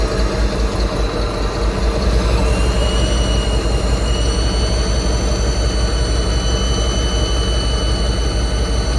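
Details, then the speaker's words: Ford Bronco after a full engine swap at idle, high thin whine holding level over steady low rumble; suspected from the smog pump (open ports, delete not yet fitted); not confirmed. "Hear that thing whining. That's sick. So, we think that is a smog pump because we got the delete for it, but it's not here yet."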